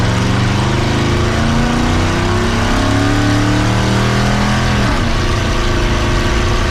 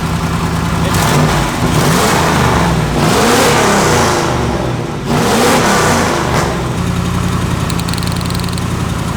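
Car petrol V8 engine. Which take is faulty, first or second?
second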